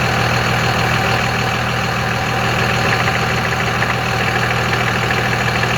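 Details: 2001 Cummins diesel, 5-speed manual, taking off and accelerating: loud diesel clatter with a rough rattle about three times a second; owner unsure if exhaust leak or flywheel.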